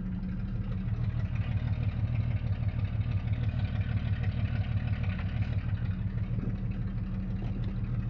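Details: Jeep Cherokee XJ 4.0 High Output: low drone with a steady pulsing of about three beats a second under the engine rumble, first suspected as engine noise but traced to the torque converter.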